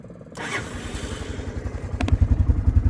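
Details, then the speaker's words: Club Car DS (circa 1990) golf cart fitted with a 1985 Honda ATC 250SX single-cylinder engine, 12-volt electric fuel pump, on choke, ice-cold start at about 51°F: catches almost immediately, settles into an even steady thump; normal. "Starts just like it should. And that's absolutely a cold start. As you can see, this is sitting for sale right now in my front yard. Engine is ice cold."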